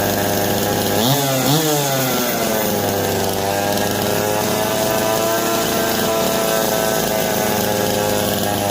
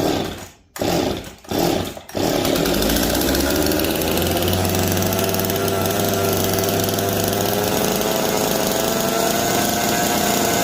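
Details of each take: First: Old Jonsered 525 two-stroke chainsaw, just revived: revs up twice then settles into a steady buzzing idle, running fine, but the bar oiler delivers no oil; no oil pickup tube inside the tank. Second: Jonsered two-stroke chainsaw (425 or 490) back running, choke off and getting oil; catches after a few pulls and holds a steady, even buzz with no stumbling or dropouts. Normal, healthy running.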